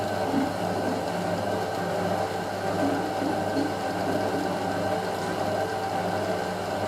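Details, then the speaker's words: Hotpoint 9530 Electronic 1000 Plus, Programme 4 50°C coloured synthetics, polyester/cotton load: the intermediate spin gives a steady drum whirr with only a faint wobble. Load slightly unbalanced, not much; normal spin. "Okay. balance well on the synthetic cycle. Slightly unbalanced, not much."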